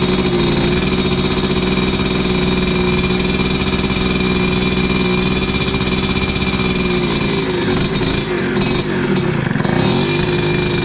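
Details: 1986 Tecate 3 two-stroke, freshly rebuilt bore, piston and crank, heat cycle after first start: steady high-pitched buzz holding one speed ten seconds, slightly ragged late; timing advanced from marks, 500 carb not ideal.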